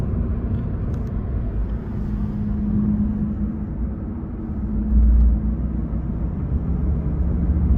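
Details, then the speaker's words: Honda Jazz GK driving on highway after hitting a pothole: low, steady droning hum under road rumble, first thought to be tyres; owner suspects worn rear wheel bearing, not confirmed. "ฮะเสียงประมาณนี้ครับนาๆทุกท่านเหมือนเสียงลูกปืนมั้ยครับน้าาทุกท่านผมว่าน่าจะใช่เสียงลูกปืนนะ"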